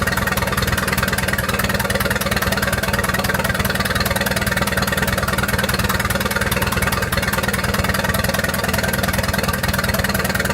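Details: 1928 Farmall Regular tractor engine after carburetor tweaks, spark advanced about halfway: even, steady chuffing at a slow idle, about two and a half beats a second, with no misses or knocks. Normal running, engine running well.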